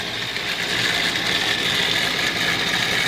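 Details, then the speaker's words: Home furnace draft inducer motor: steady, loud high-pitched whirring hum, first mistaken for blower motor or capacitor; worn inducer bearings dragging, temporarily cleaned and greased before replacement. "what it was doing was it was making a very loud humming sound which I thought was my my the blower motor or the capacitor which normally is the problem but this time no it was the draft inducer motor"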